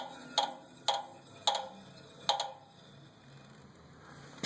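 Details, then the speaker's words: Renault Laguna, clicking after engine switch-off: sharp, bright clicks about every half second at first, then slowing and stopping with the engine off. "okay it makes a clicking sound after i turn it off"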